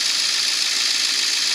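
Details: 2002 Ford F350 7.3 Powerstroke diesel, high mileage, after replacing a bad glow plug: even steady idle with constant clatter, no misses or surging; start-up smoke much reduced, repair successful.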